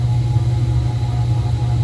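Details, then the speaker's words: Miller oil furnace blower motor that hums but only starts when spun by hand, making a steady, heavy low hum with a rough droning growl; owner suspects it needs oil or has a bad bearing. "so I don't know if it needs to be oiled and you can hear it's making a horrible noise so it definitely needs oil or maybe even the bearing's bad"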